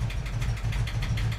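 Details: 1988 VW Vanagon after replacing its clogged mid-pipe, catalytic converter and muffler, with fuel and cooling systems already replaced: low, lumpy idle pulsing unevenly several times a second; misfire persists, cause unknown, owner considering spark plugs and injectors.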